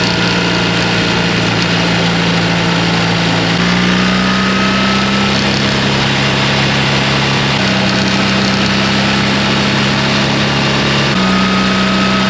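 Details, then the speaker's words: BMW R 1300 GS at about 10,000 km, cruising in 4th at about 3,800 rpm: steady high engine drone with a faint constant clacking, heard on the left cylinder side between about 3,600 and 4,200 rpm; owner suspects ShiftCam valve train clatter, unconfirmed. "ça c'est le bruit que j'entends tout le temps alors Carter moins ép je veux bien mais là clairement c'est pas normal quoi"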